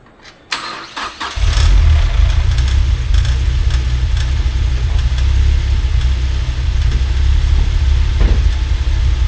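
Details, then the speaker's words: Mazda NC Miata: the engine cranks, fires and settles into a steady deep idle with no belt noise, chatter or misfire, which is normal. "Uh, this uh, this sounds totally normal. Imagine that. There's no belt noise. There's no chatter, no misfire sound."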